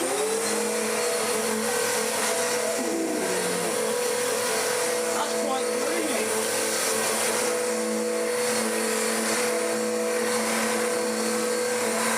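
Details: Dirt Devil DD6114 (Electrolux Contour clone) upright vacuum, first run before restoration, brush roll down at short-pile height: steady motor whine with a rough droning tone; oversized drive belt drags on the brush roll drive, hot-belt smell, abysmal suction, possibly decade-old bag.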